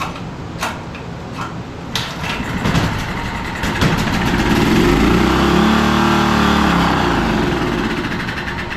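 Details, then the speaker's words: Generator picked up non-running after sitting outside in snow, fitted with a replacement carburetor; on choke, after a few stubborn recoil pulls it catches and revs, then sags and dies as the low-oil light flashes, so the low-oil shutdown is stopping it. "Okay, looks like we're getting a flashing light for the low oil indicator. So that's probably what's shutting it off."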